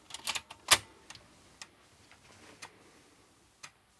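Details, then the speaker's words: Early revision 3 Amiga 500 floppy drive after reseating connectors: sharp, uneven ticks, about six in four seconds, as the head steps but a known-good disk is not read; solder joints around the connectors suspected; caps lock shows watchdog timer failure. "yeah but it doesn't want to read this disk which is a known good disk"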